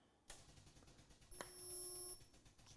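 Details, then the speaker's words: Wielander & Schill InvertaSpot GT automatic spot welder making a test weld on two panels: clamp click, then a steady high electrical hum for just under a second, then release; normal weld cycle. "you hear the machine make the weld. Now I'm still holding the button, so you let the machine cycle through."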